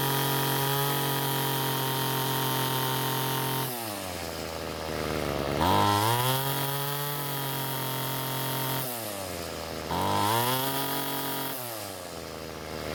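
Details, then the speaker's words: Ryobi two-stroke string trimmer that wouldn't start, after carburetor work and turning the H screw counterclockwise for more fuel: clean steady buzz, revving up and settling back twice without stumbling; running properly. "so what i did was turn the h screw counter clockwise to give the engine more fuel and after squeezing the trigger the engine ran much better"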